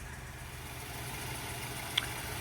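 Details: 2010 Mazda 3i Touring, 2.0 L four-cylinder, manual, 114,000 miles: steady, even idle with a smooth low hum and no knocks, misses or ticks; engine sounds healthy.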